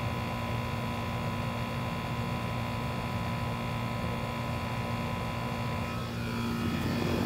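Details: Old Goodman AC condenser: steady even hum with constant fan drone, no clicking, buzzing or struggling; condenser running normally.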